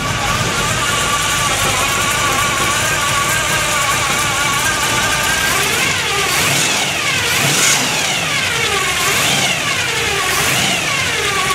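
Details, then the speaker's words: 1957 Chevy custom after a cold start: steady engine running with a constant high whine that rises and falls with revs, the normal noise of its Pete Jackson gear drive timing set. "by the way i forgot to mention it also has a pete jackson gear drive a real noisy one if you didn't already hear it"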